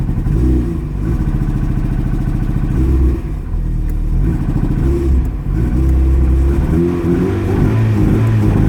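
Uneven, stumbling low engine note with dropouts and surges that never climbs cleanly in revs; a cold misfire holding it back.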